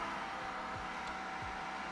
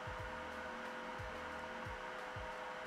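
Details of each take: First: Creality K1 side fan with a muffler baffle: airy whoosh with choked, strained edge, airflow drops from 7.5 to about 3 m/s; baffle restricts the fan too much. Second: Creality K1 side fan after mounting a 10 mm aluminium plate with gecko tape on the panel: steady airy rush with thin high tone, peak now 1.6 kHz, overall about 56–57 dB, 2–3 dB quieter; normal running.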